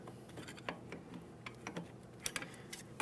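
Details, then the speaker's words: 2003–2008 Toyota Matrix rear drum brake, drum off, adjuster lever held away while star wheel is turned with a flathead screwdriver: faint uneven light clicks, a few per second; normal adjuster ratcheting. "As I'm holding that away from my adjustment cog, I can continue on with my small pry bar or flathead screwdriver, and I'm going to make my adjustment for those shoes."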